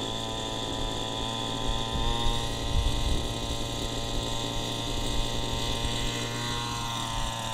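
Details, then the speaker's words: Warmed-up gas model helicopter engine with the high-speed needle set a quarter-turn richer: drones at a steady, slightly muffled pitch, sluggish and struggling to reach head speed at half stick; rich high-speed needle. "it's much more sluggish on schooling off I'm at half stick right now and it's struggling to get up to head speed"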